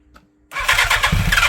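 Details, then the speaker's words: 1987 Yamaha FZR1000, first start in 16 years after 8 years in a barn and 8 outside; carbs refurbished, easy start sprayed in. Engine cranks, stumbles with a few uneven firing pulses but won't run; fuel starvation suspected. "Oh my gosh, okay, so fuel problem."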